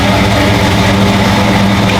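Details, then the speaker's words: 1972 Chevy K5 Blazer with Holley Sniper EFI, 143 miles on it, warm: steady raised idle drone with no hunting that won't drop below 1,000 RPM; a whistling is heard under throttle on the road. High idle. "You hear that high idle? Yeah. It's like high idle, look in there. It's like, I can't get it to idle under 1,000 RPM."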